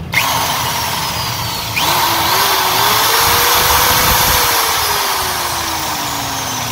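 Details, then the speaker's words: 13mm impact drill (EID 13) in hammer mode: motor whines up and settles smoothly with no percussive rattle; hammer action not working, worn hammer ratchet parts. "Hello hello दोस्तों यह ठंडी machine में हमार problem हो रहा है जब इस मिशन को कंप्लीट में कटिंग करते हैं डिलीट करते हैं उसमें डाल नहीं हो रहा है"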